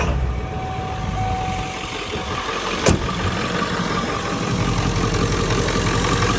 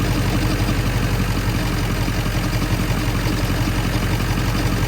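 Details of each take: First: 1997 Ford F-350 7.3L Powerstroke diesel, 164,000 miles, after replacing the alternator for a knock: steady low idle with no chatter or knock, one brief click; engine sounds healthy, fixed. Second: 1997 Ford F-350 7.3L Powerstroke diesel, 164,000 miles, warm idle, stethoscope on front pulleys: loose, uneven knocking around three a second, loudest at the alternator pulley; first sounded like rod knock, traced to failing alternator bearing.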